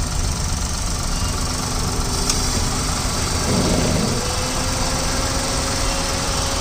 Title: Eon Era + 2015, Red color, UP16, Engine noise.